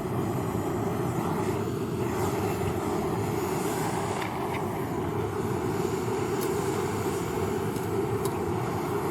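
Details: A lightweight hiking stove burner on a mixed isobutane/propane canister, checked first for leaks, gives a steady, even hissing roar with no sputtering or pulsing. The burner is lit and burning normally.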